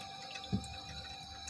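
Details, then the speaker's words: One-door refrigerator running but not cooling; faint watery gurgle and bubbling at the freezer/evaporator instead of a soft steady hiss, oil being carried up, meaning the sealed system has leaked and is empty of refrigerant. "Tapi ini aktualnya di bagian freezer atau evaporatornya bunyinya kerucuk-kerucuk. Ini yang menandakan oli naik nih teman-teman."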